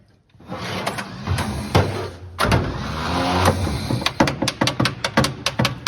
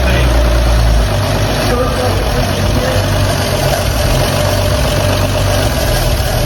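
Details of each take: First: 1954 Chevrolet 3100 truck, 235 straight six parked since 1978, on jump box with ether and fuel in: slow, labouring starter, possibly tired, with uneven bursts then quick clicks about two a second, never catches; crank no start, no spark suspected. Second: 1954 Chevrolet 3100 truck, original 235 straight-six converted to 12V, running again after being parked since 1978: deep, even idle with a smooth steady beat and no knocks or misses. Healthy idle, showing 30 lb oil pressure.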